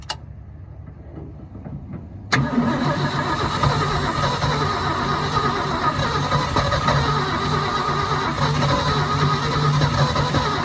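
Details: 1972 Ford F-350 auction truck, chilly day: starter cranks, engine catches into an uneven, loping idle that never picks up; no throttle control, owner thinks the carburetor may need rebuilding.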